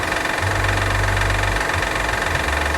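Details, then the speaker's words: 2012 Honda Odyssey 3.5 L V6 at idle: a coarse, uneven top-end rattle over the engine drone that sounds like valves or rods but isn't internal. It was traced to a defective timing belt tensioner, and the timing belt is to be replaced. "ruido se escucha también arriba como si fuera de válvulas [Aplausos] es bien común en muchos vídeos de esto pero no es el motor internamente pareciera ser pero no lo es"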